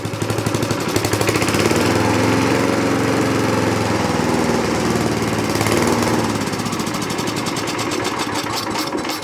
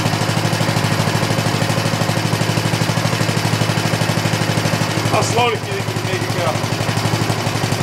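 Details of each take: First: 1960s Roof push mower, starts on first pull, revved up without air cleaner: revs, holds briefly, then speed sags and it stalls; owner suspects too lean from missing air cleaner, unconfirmed. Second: 1960s push lawn mower found in trash, after carburetor cleaning and plug cleaning, running slightly rich without air cleaner or fan shroud: crisp even single-cylinder putter, briefly dipping then recovering; normal running.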